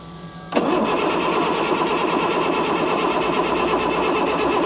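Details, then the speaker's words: Ford F650 service truck with a Cat C7 diesel, after fixing a loose ground, cranks steadily at about three compression beats a second but won't catch. The grid heater is bad; it later started with starting fluid. "Yeah, grid heater is bad. Super common on a C7."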